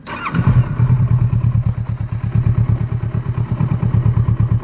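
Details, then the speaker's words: Kawasaki Versys 650, idle deliberately set low (about 1,100 rpm on scanner): slow loping idle with even low thumps about three per second; low idle makes it struggle to stay running after a quick start. "namente vou mostrar de novo agora com a marcha lenta desregulada com a informação visual aqui do painel para vocês verem como ela tem dificuldade de manter a partida com o acionamento rápido aqui certo"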